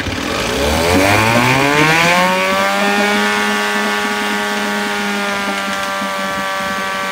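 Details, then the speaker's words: 1972 Johnson 6R-72D 6 hp two-stroke outboard, getting hot and steaming: revs up then settles to a buzzy, slightly uneven run; owner suspects carburetor needs cleaning and will order a water pump. "yep definitely think I'm going to have to clean the carburetor you guys can tell she's getting a little hot so I'm going to let her be"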